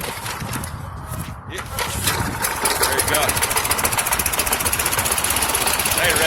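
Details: Toro 6.5 hp lawnmower with Tecumseh engine, after fitting a cheap aftermarket carburetor and a new spark plug: picks up and settles into a quick, even putter of about 220 beats a minute; running cleanly.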